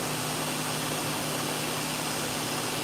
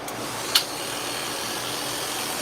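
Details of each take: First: Dog-grooming clipper after its blade socket was squeezed to reduce play: steady even buzz with a constant hum and no rattle or clatter; quieter, running smoothly. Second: Dog groomer's clipper blade being tested after sharpening: a steady high buzz with a harsh chattering edge and a sharp click, because play in the blade socket lets the blade rattle.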